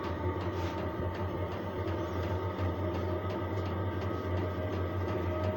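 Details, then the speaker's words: Chinese diesel parking heater starting up at level 3, the startup setting: steady low hum with a soft fan rush and faint regular pump ticking as it fires up, running normally. "the application is the same here we go you can hear it firing up right now"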